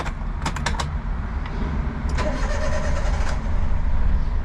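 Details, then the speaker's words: Used Daihatsu HiJet kei van for sale: the starter churns unevenly for a couple of seconds before the engine catches and settles into a rough idle; long cranking before start. "pretty long guys but it did start up"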